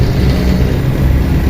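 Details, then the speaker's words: Toyota 4K engine after a tune-up with valves set to intake 0.08 mm and exhaust 0.10 mm, not yet warmed up: a deep, steady, even hum with no ticking or tapping. The earlier noise is gone and it idles healthily. "Ayan tune up nang maganda na yan. Ganda ng minor wala nang ingay"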